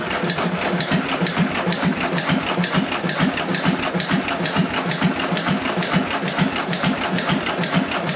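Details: John Deere 1.5 hp hit-and-miss gas engine first run after repair, no water in hopper: steady chuffing a bit over two beats a second, no knocking or banging; normal hit-and-miss running.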